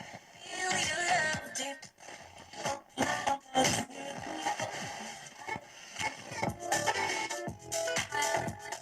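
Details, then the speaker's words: Ural-Auto 2 radio: music breaks up with scratchy crackles and sudden dropouts while tuning; the variable tuning capacitor (KPE) crackles badly, barely holding contact across its range. "Так, ну диапазончик-то попал, но КПЕшка вся скрипит. Ну ее она было видно, что она скрипучая, но я вот сейчас включил, не думал, что настолько."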